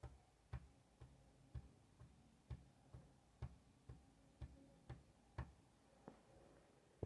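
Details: Honda CBR 954 engine, recorded close up from inside the engine: dull, hollow knocks about twice a second, piston slap.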